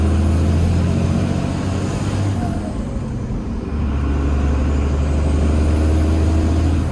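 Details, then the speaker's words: Cummins diesel truck after exhaust brake work: diesel drone with a quick whoosh and falling whistle as the throttle closes, then it settles. A normal turbo blow-off, louder than the faint whistle before. "When I let off, it's not just like a little bit of a whistle. It's like the actual, like, Cummins blow-off sound. And it sounds frigging amazing"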